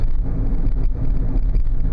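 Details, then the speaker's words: 2000 Oldsmobile Silhouette minivan after replacing the front wheel bearing hub assemblies, driving at about 30 mph. Steady low road rumble with no rising hum or growl; the earlier loud hum is gone and the bearing sounds normal. "the one side going 30 m an hour and I don't hear that loud hum anymore so I think we may have solved this little problem"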